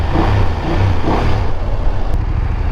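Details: BMW F850 GS twin cruising on a short ride: steady, coarse low engine drone under wind with no knocks or ticks. The owner dislikes the engine noise as too rough, but it is the engine's normal character.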